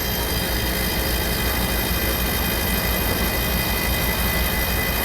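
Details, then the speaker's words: Old Dixie Narco soda machine compressor, with a rewired new start relay and plugged straight into an outlet: a steady rushing hum with a faint fixed tone. It runs, then trips the breaker again; a faulty compressor is suspected. "i hear it i hear it i hear the compressor i hear it"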